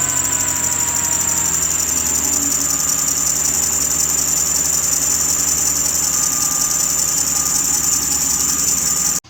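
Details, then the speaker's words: 2006 Ford Explorer 4.0 SOHC running: a loud, steady, piercing screech from the front belt drive, worse when accelerating. Owner suspects a bad AC compressor pulley; the drive belt, tensioner and idler pulley were later replaced. Not confirmed. "and uh i'm thinking is that the wheel the pulley that is used by the belt uh to rotate that pulley went bad on the ac compressor and that thing you accelerate it sounds horrible"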